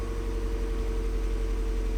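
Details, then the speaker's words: Mazda Miata after swapping back to stock exhaust headers, cold start: smooth, steady, slightly fast idle with no knocks or misses, no check engine light; normal cold-start fast idle. "a little high on the RPMs but it was a cold start so far so good no check engine light I think we're doing all right"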